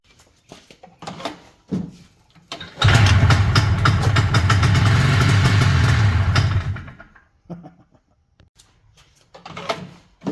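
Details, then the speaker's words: Ski-Doo 377 two-stroke snowmobile found in a field, first fire-up after repair, fuel needing priming to reach the engine: a few short cranking pulls, then it catches and runs steady for about four seconds before dropping off; normal start and idle. "Now, we are finally ready to fire up. Might take a minute for the fuel to get up there."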